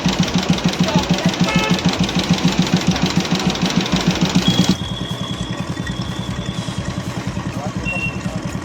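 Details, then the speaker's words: Royal Enfield Classic 350 after fixing top-end tik-tik noise and retightening the cylinder head top: steady even single-cylinder thump at idle, about three beats a second, no ticking; engine sounds healthy. "अब आवाज देख रहे हैं आपको आवाज नहीं कर रहा है"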